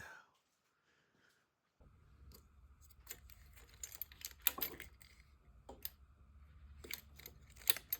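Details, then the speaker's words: BMW R1200C motorcycle at key-on before repair: only faint scattered clicks from inside the tank and no pump whirr; fuel pump not priming, relays and fuses already swapped without change. "And there's definitely that clicking sound that we can hear is coming from inside of the tank."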